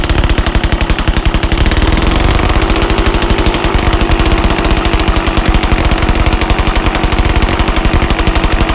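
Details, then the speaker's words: 1981 Yamaha G1 A2 golf cart engine running with muffler removed during rebuild: harsh, rapid, steady popping from the open exhaust, loud enough for ear protection; no distinct knock stands out and the odd noise's cause is unclear. "we'll start it up and uh i'm assuming it's going to get pretty damn loud so stay tuned [Music] okay let's have a listen without the muffler and i got my ear protection on"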